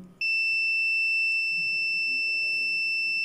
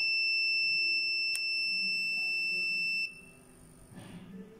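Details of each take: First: Logitech S-220 2.1 speaker amp board (bass output dead), continuity test on a 100 µF capacitor: unbroken high beep never stops despite waiting, indicating a short; shorted capacitor suspected. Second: Logitech S-220 2.1 speaker amp board (bass output not working), continuity test on the large filter capacitor: steady high beep for about three seconds then cuts out as the capacitor charges; healthy, not shorted.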